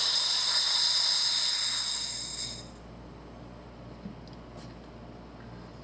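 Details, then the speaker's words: Sherwood scuba second-stage regulator before adjustment, as gas is turned on: a loud, steady high-pitched hiss for about three seconds, then it cuts off. This is a free-flow leak corrected by adjusting the second stage. "When we turn our gas on, see, when you start putting air to it, it leaks."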